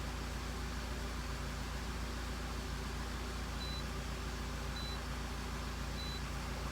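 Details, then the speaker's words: 2003 Honda CR-V after timing chain repair: smooth, even idle around 900 rpm, steady low hum with no knocks, ticks or misses, long-term fuel trims near zero, spark advance good, no codes; normal healthy idle. "this thing seems like it's running really good we're running it like 900 RPM spark advance is good IAT"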